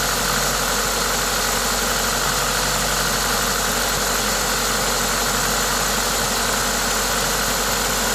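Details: Toyota 2ZZ-GE engine at idle with an aftermarket induction kit: smooth, steady idle with a strong airy intake hiss from the kit, no knocking; normal, healthy engine noise.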